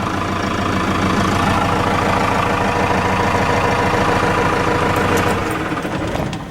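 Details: Cummins 4BT turbo diesel, about 71,000 miles, idling after fuel filter change and air filter wash: steady, even clatter, no knocks, misses or hunting; good oil pressure, normal idle.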